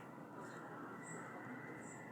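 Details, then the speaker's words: Ceiling fan that had been making noise, after being oiled: it now runs with a steady soft whoosh, quiet with no squeak. "pode ver que agora ele tá bem silencioso"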